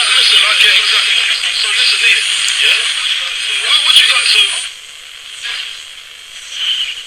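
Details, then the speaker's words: Altona 980-200 pocket radio, about 1995, on original batteries, AM band, before replacing electrolytic capacitors: station audio under a harsh steady hiss and crackle even between words; noise reported over music and speech, cause not yet found. "she described it as uh a sort of noise that came out of the speaker on top of uh any music or speech from a radio station"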